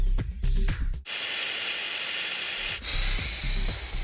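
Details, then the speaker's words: Turbo car with custom intercooler piping pressurised to 1 bar from a compressor through a homemade boost leak tester, the return pipe plugged: a loud steady hiss with a thin high whistle from a boost leak in the intercooler piping. "this means the whole system's pressurized so if there's any leaks we're going to hear them"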